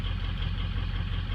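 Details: 2003 Ford Excursion diesel, 192,000 miles, start in warm weather: low, uneven idle with loping, missing beat; injector balance shows cylinders 1, 3, 5, 7 weak versus 2, 4, 6, 8; fuel pressure or restriction still to check.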